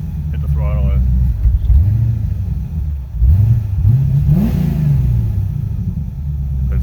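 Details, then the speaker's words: 1985 Corvette V8 project, cold, exhaust shot from cat-back; V8 rises and falls through throttle blips with uneven pickup and a dead spot; owner suspects cold engine or perhaps TPS sensor, not confirmed; throttle hesitation. "she don't sound too bad it's got a little bit of a dead spot in it i'm not sure if it's good it's cold"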